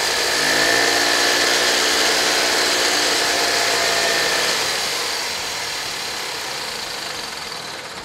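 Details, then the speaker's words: 1983 EZGO two-stroke golf cart, nearly 40 years old, after new carburetor, cleaned tank, new fuel lines and filter, new battery cables: quick even buzz around 220 beats a minute, smooth and steady; runs normally though it smokes a little. "does it go yeah it scoots you around it's nearly 40 years old"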